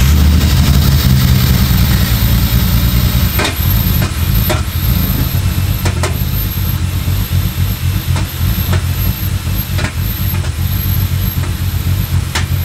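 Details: Ford Falcon with Barra engine swap, turbo, 1200 cc injectors on a base map with no proper tune, first start: heavy, lumpy idle with sharp knocks about once a second over the rumble, consistent with an intake vacuum leak upsetting fuelling.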